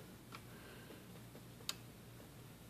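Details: Smith-Corona Sterling typewriter escapement after the swollen rubber spacer piece was cut off with a razor blade so the pawl moves freely. Light, crisp, irregularly spaced ticks over a quiet room; the pawl now clicks cleanly and normally.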